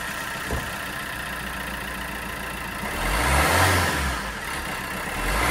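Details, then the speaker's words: Peugeot Bipper 1.3 diesel after injector and fuel filter repair for cold diesel knock: smooth idle rising cleanly with throttle blips, no rattle or knock; knock fixed, DPF regen to follow. "I tied my tools up put out um DPF pull as well so I'm going to do a DPF regen on it but but yeah and that solve that diesel knock"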